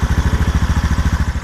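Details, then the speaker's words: Engine with bad motor mounts and worn boots, idling: steady even low thump about twelve beats a second, no knocks or misses; runs great. "runs like a champ"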